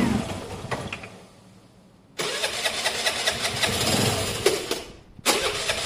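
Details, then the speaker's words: Motorbike engine, cold, first start after wiring and CDI work with a new piston and cylinder: quiet, then it catches and settles into a rough, uneven run that needs warming up. "it needs a minute to warm up anyway that's a nice running engine at this stage though we'll give it a minute to warm up guys"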